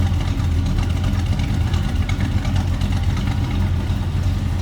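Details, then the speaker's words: 1972 Chevrolet C10 heard from the rear at the tailpipe: a deep, even V8 burble with a steady beat and no misses or ticks. Normal, healthy idle. "that's a good sound of truck listen to"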